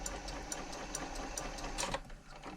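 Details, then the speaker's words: Janome MemoryCraft 3000 sewing machine during a service, on wide zigzag with the hook timing correct: even stitching rhythm with a light swish of the needle against the hook point, which stopped once a new needle was fitted. Old needle was slightly bent. "That swishing noise is gone now. So, what that tells me is the needle was slightly bent that was in there."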